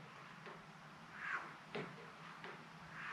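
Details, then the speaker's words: 1979 Harley-Davidson Shovelhead FLH front brake master cylinder, freshly rebuilt and just reinstalled, dry before bleeding: soft airy swishes as it sucks air on each lever squeeze and release, piston moving freely as it should; normal master cylinder operation. "not sure if you can hear it on the camera but you can I can hear it actually sucking air As I push the lever in and as I let it out"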